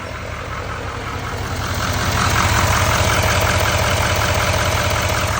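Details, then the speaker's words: 2017-19 L5P Duramax 6.6 diesel after number four injector pigtail replacement and fuel filter priming, truck sat two days: steady, even idle with normal light injector clatter, no misses; check engine light cleared, sounds healthy. "So, clear this all out. I mean, it looks it sounds like it's doing pretty good."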